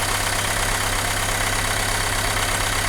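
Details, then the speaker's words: Renault Megane 2 engine with vibration, shaking and no power: rough lopsided idle about three beats a second; disconnecting cylinder four brings no change, so cylinder four is misfiring. "سوا الرابعة، احنا الرابعة الموتور ما تحركش جملة، قاعد زي ما هو كما يعني كما شفناها أول مرة."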